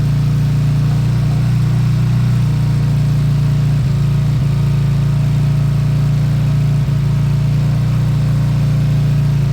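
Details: Beaten-up old Lexmoto single-cylinder bike after the carb fuel feed was fixed, idled to circulate oil: a steady, even low thrum with no misses, knocks or hunting. Normal idle.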